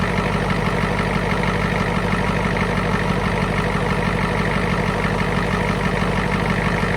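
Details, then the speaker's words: 1991 Ford F350 International IDI diesel, after replacing injector return lines: chugs with an uneven, lumpy beat, stumbling as each injector line is cracked to bleed air, bogging that cylinder, then tightened back up. "so there you have it just track each line until it kind of bogs down and then poting them back up sounds good good deal"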